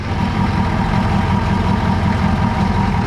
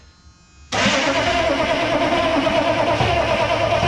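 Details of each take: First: M1009 CUCV military Chevy K5 Blazer diesel, just started after sitting over two decades, cold following glow cycles: steady low diesel clatter at an even idle, no misses, knocks or hunting. Normal idle. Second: M1009 CUCV military Chevy K5 Blazer diesel, unstarted for over two decades, cranking without ether after work on the high-idle solenoid and timing advance: the starter turns it steadily for seconds and it chugs but never catches.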